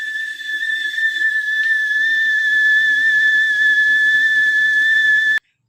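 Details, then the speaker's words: Whistling kettle filled to full volume with the lid closed, at the boil: a loud, shrill, steady high whistle holds about five seconds, then cuts off. Normal whistle at boiling. "Nah bisa kita lihat dan kita dengar bahwa ceret Ini menghasilkan bunyi nyaring serta keras"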